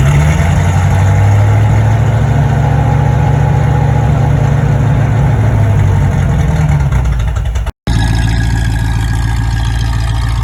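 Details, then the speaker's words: 1973 Mustang V8 after new single-wire distributor, plug wires, spark plugs and 600 cfm Edelbrock carburetor, compression good: smooth even idle with steady beat and no misses; engine now runs cleanly. "sounds good single wire distributor plug wires new spark plug and carburetor now she runs good"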